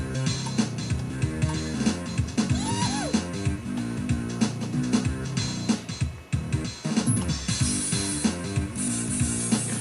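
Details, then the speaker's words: Vintage Compaq 486 upgraded to Pentium Overdrive running Jazz Jackrabbit: game music comes out harsh, garbled and buzzing; sound card output distorting. "Oh, my sound card's not working so hot right now. That's not supposed to sound like that."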